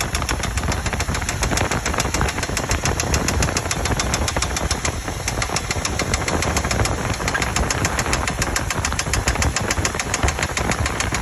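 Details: 2000 Chevy Tahoe Limited: steady rapid ticking knock, loud and even over the engine drone, a repeating knock from inside the engine with the cause unclear.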